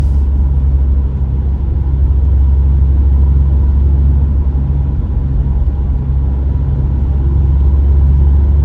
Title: STI tire or wheel bearing noise